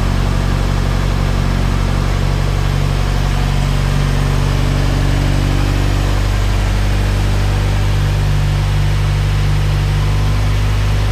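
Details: 1998-spec Integra Type R Honda B-series VTEC engine after valve stem seal and lost motion assembly replacement, warming up: smooth even idle with steady low hum, no noticeable valve ticking, quiet top end; normal idle.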